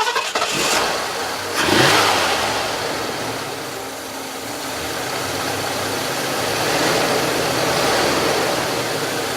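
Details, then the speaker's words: 1978 Lincoln Continental Mark V Diamond Jubilee V8, just after spark plug replacement: brief cranking catches quickly into a strong rev, then settles to an even smooth idle with no misses or knocks; healthy. "you know this sounds good to me but I'm used to four cylinders I think we're good"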